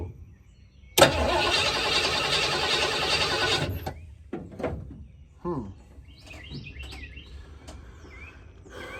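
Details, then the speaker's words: 1986 Ford Bronco 351 Windsor V8, sat about 15-16 years, cranked with gasoline poured down the carburetor: an even churn with no firing at all. Owner suspects no spark and plans to check the coil wire with a spark tester. "now usually in my experience with Fords if it's going to try to go it would have tried to went on what we just did so let's check this out I don't think she has any spark"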